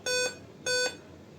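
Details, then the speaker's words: Dell 5000 series laptop at power-on: two short, high, even beeps about 0.6 s apart, then silence; suspected RAM fault. Cleaning and reseating the two RAM sticks fixed it. "ये beep sound दे रहा है। जहां तक इसकी sound की beep sound की problem है। ये रम की वजह से के चांसेस ज्यादा"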